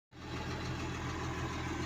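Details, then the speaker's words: Komatsu D65EX bulldozer diesel idling with a hard, uneven knock over a deep rumble. A leaking injector is traced by cylinder cutout in the menu: the knock stops when cylinder 5 is disabled. "стучать форсунка какая-то начала лить на Komatsu 165 бульдозер"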